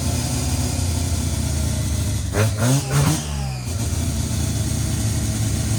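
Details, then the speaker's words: Naturally aspirated rotary (Wankel) engine starting easily: smooth, buzzy idle interrupted by two quick, crisp revs that climb and fall cleanly, then settles; a healthy rotary running normally. "Wow. And it starts so well. Nice, eh? Beautiful. Yeah, if mine sounds like that, I'll be happy."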